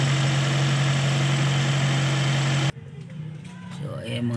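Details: Toyota carbureted engine that would not start because of a vacuum leak from a hanging/cut hose: steady, even idle hum with a constant low drone and no hunting or stumbling.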